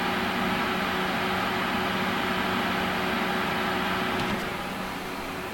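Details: Watercooled GTX 680 graphics card under full load, steady electrical buzz with a low hum near 190 Hz over soft pump hiss; perhaps previously masked by fast fans, block fitted correctly, cause not pinned down.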